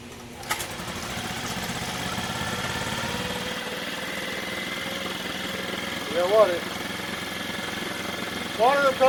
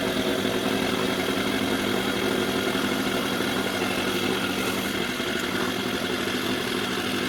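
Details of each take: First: Mercury 4/5 hp outboard, 16 years old, previously a no-start, after new parts: light, steady buzzing run with no misses but idle too high, needing throttle linkage adjustment. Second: Mercury 4/5 hp two-stroke outboard, bought as a damaged no-start with a new carb, now running: idles fast and busy with a steady raspy buzz that never settles; idle speed set too high.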